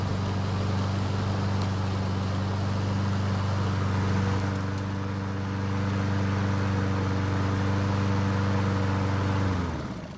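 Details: Honda HRN 216 mower after draining excess oil to correct level and manual fuel priming fixed no-start; steady, even drone about nine seconds, no misses or knocks, then clean shutdown; normal running.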